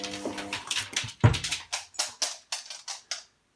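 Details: Washing machine during wash: sharp clicks in uneven bursts of about three or four per second over a quiet drum; clicking fault, cause not clear.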